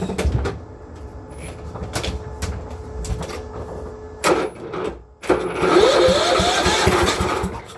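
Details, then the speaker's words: Cub Cadet mower engine with confirmed spark, given more gas: uneven pops and coughs while cranking, then catches and runs rough and unsteady, sputtering as if fuel-starved; cause suspected, not confirmed. "It ran, kinda. I think it likes all the gas."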